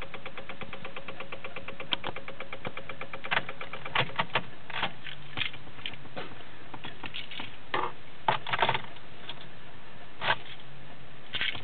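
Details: 2006 Honda Civic won't start: rapid even typewriter-like ticking on key turn, with irregular louder clicks later and no engine catching; rapid-click no-start.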